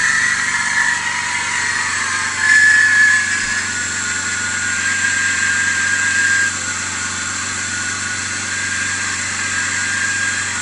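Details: BMW E39 525i at idle: thin, steady high-pitched whine riding over the idle and wavering slightly from the belt drive; bad idler pulley.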